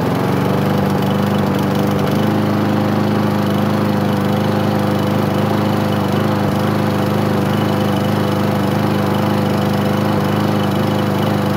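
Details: Craftsman lawn mower, first start in 9 months: steady single-cylinder drone holding an even speed after a brief rough start, no knocks or misses. Normal running.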